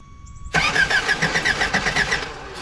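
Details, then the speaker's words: Old Toyota truck sitting 26 years, cranking with battery installed: steady starter pulses about five per second, never catches. "Alright, so I figured out we're missing a wire. It was in the cab on the old distributor. I think I had the wires hooked up wrong."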